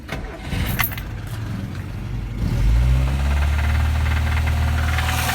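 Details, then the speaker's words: VAZ-2101 (Lada Classic) cold start on choke: fast idle with a sharp, regular low knock; a cylinder cut-out test traced it to one cylinder's worn connecting rod bearing. "Так, ми чуємо стук дуже ярко."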